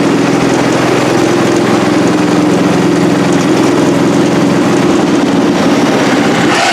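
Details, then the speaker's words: Cub Cadet 108 single-cylinder tractor running: steady constant-speed firm beat, no misfires; healthy, though carburetor float sticks and drips fuel when shut off. "all right all right y'all there you have it got it running got it running up through the driveway here or up to the upper shop here"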